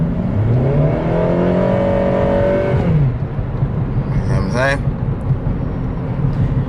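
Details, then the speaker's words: Turbo Honda Civic Si driven through the gears: revs climb quickly in a rising drone for about three seconds without matching pull, rpm rising faster than speed; clutch slipping. "you guys are beginners in this game just like me you know first time DIYs you know it's a telltale sign that you your clutch is slipping"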